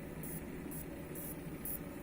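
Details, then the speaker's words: Furuno MU-231CE monitor with blinking green indicator and flickering screen, not fixed by new lamps and inverter board: faint hum with high-pitched chirp about twice a second from the power board; suspected failed capacitors or high ESR, so the board was then repaired. "Most probably broken capacitors or ESR too high and it is not enough power - That why we see that blinking lamps"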